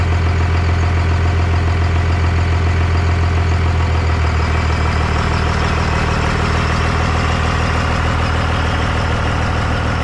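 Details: 1998 Dodge Ram 2nd-gen Cummins diesel, first run after the owner fixed his problems, on temporary power and no coolant: steady, even deep idle with a smooth regular beat, oil pressure and charging, no knocks or misses; normal idle.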